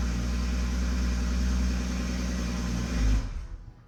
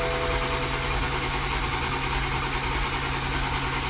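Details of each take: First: Toyota MKV Supra with rebuilt engine after the fix, now holding fuel pressure on startup: deep even exhaust rumble with a brief rev before shutting off; no stumble, the misfire is gone and it runs smoothly. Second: Toyota MKV Supra on its first start after an engine rebuild: the starter churns steadily at about three turns a second and never catches; crank no start, compression fine on all six cylinders.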